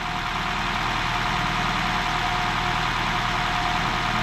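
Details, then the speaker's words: Honda hybrid just after software updates (transmission J760 to J790, engine NV20 to NV40): a steady, even idle with no knock; the earlier cold knocking sound is no longer heard. "Ну что-то нету, да, звука такого у Я вас? ничего не слышу."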